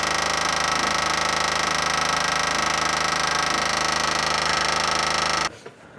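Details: 1979 Jeep Cherokee parked 21 years, ignition switched on: loud steady electric buzz from mid-vehicle underneath, cutting off sharply; owner suspects the electric fuel pump; loud buzzing electric fuel pump, cause suspected, not confirmed.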